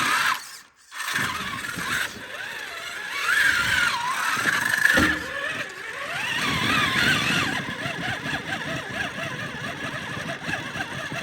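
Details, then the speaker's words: 1/10 Traxxas Summit RC crawler on 2S packs in first gear with diff locked over rocks: thin high squeaks over whirring drivetrain; owner suspects crusty, rusty transmission bearings after a run in water without teardown, unconfirmed. "yeah we definitely have some squeaking coming from the transmission I think we probably have some pretty crusty and Rusty bearings"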